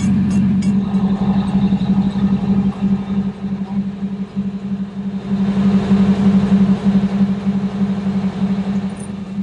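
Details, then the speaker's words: Eight-cylinder Detroit Diesel with wet exhaust, heard on the back deck right near the exhaust: steady even low drone, smooth firing, no knocks or misses; not whisper quiet but normal talk possible, healthy running. "okay you know it's not whisper quiet like a car but the whole time we've been at a talk normally on the back deck right near the exhaust so in some ways it's a pretty good advertisement for the noise attenuation of a wet exhaust"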